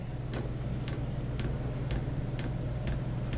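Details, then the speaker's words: Diesel heater that had trouble starting, owner suspects a bad or lodged pump: soft regular ticking about twice a second over a low steady hum as the pump delivers fuel while the heater tries to light; cause unconfirmed. "Wait a minute. It is pumping fuel there. It's going to take a minute to get her up and around."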